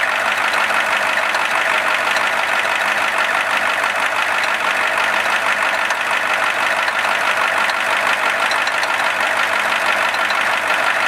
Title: IDI Knocking sound 1.MTS